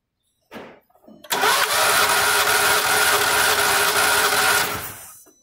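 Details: Volkswagen Saveiro lacking power when pulling away, recently overheated with parts replaced: cranks with strong even beat for a few seconds then stops; compression sounds healthy on this cylinder, unlike the suspect cylinders 1 and 2.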